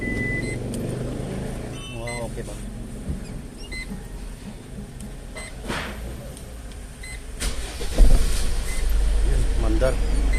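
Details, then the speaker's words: Foton Traveller diesel van right after a full clutch set replacement, done to cure a clunking rattle and drone: a low, even drone with no grinding or rattle. The drivetrain is now quiet and healthy. "Ayos na. Ayos. Wala nang ingay oh. Wala nang ingay, wala nang umugong."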